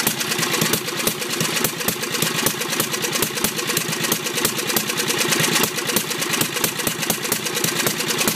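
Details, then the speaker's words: Briggs 10hp, governor reconnected and working: fast even popping exhaust beat held high with choke off, never settling to idle; carburetor suspected worn or way out of adjustment rather than governor. "so anytime I have the choke off it starts the race and it'll kind of it'll kind of start controlling it back this way but really it's not going to control it until it gets back into here somewhere"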